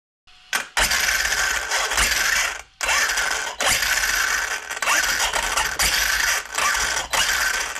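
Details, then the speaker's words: Arrma Kraton 6S 1/8-scale RC truck after the rear differential was replaced with a sturdier built one with no play: loud, even gear whir in short throttle bursts, and the earlier clicking is gone. "It's hard to tell in the video with the sound, but it no longer has that clicking sound. It's just a loud truck, but yep, it sounds much better, and that clicking sound is gone, so it's a success."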